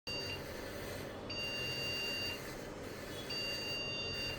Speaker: निकालने के बाद यह ज्यादातर साउंड होता है वो रैम का साउंड होता है।